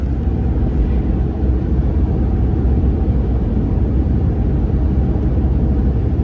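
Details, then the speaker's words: 2014 RAM 1500 test drive on the highway after front wheel bearing replacement: steady, even road rumble with no hum or growl from the wheels. The old bearing was stiff and sticking, and the bearing noise is gone. "okay so I'm driving the truck all right so I'm on the highway and the wheel bearing noise is definitely gone now sounds good"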